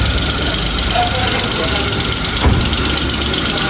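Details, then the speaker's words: 2015 Kia Picanto, brought in with no start and blinking temperature light, after other repairs, idling: light fast top-end ticking over the engine note, not a knock, blamed on lack of maintenance. "Matindi. Tama. Grabe ang nagatik."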